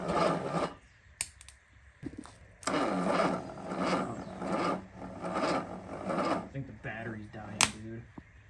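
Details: Sunbeam Alpine engine during startup prep, no oil pressure yet: sluggish, labored cranking in uneven bursts under a second apart that never catch; battery too weak and died, later put on a jump box.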